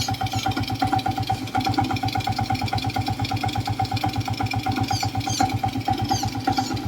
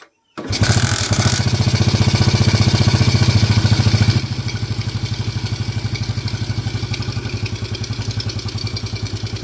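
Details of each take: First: Old Suzuki Smash motorcycle idling with a rough "klok-klok" knock about twice a second that speeds up and slows down with engine rpm. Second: Suzuki Smash motorcycle idling after rebuild with crankshaft bearings, connecting rod and piston replaced; steady even putter with no knocking, intake sucking noise because carburetor has no air filter; previously very rough clunking engine.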